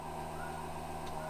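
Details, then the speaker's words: Truck's newly installed fuel pump with freshly rewired power feed; quiet steady low hum with faint even whine and no buzzing rattle, unlike the old pump's "prrrr"; normal fuel pump priming. "That's the new fuel pump. Very nice. Sounds pretty cool. The other one used to go prrrr, but this one goes huh?"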